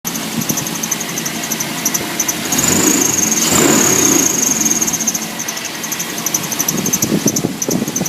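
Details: 1997 GMC 1500, 5.7 Vortec V8 running: high shrill belt squeal with rapid chirps about three a second; water pump, idler and tensioner pulleys and alternator already replaced, power steering and AC compressor spin freely; cause unfound.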